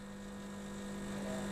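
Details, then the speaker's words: Milesto Eliane espresso machine with vibratory pump, second 20-second shot using a blind basket instead of coffee: loud steady mains-pitch buzz, no change and nothing flowing; pump straining against a blocked basket, deliberately pushed toward overheating. "20 detik kedua dia terlalu halus lagi tetap nggak keluar lagi"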